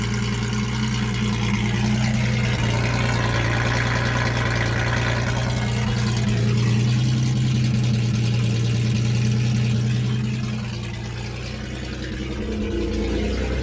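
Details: 1976 Datsun 280Z six, first start after sitting four or five years, exhaust off: loud raw open-exhaust drone at steady idle with brief dip near end; runs cleanly; won't restart hot, owner suspects distributor.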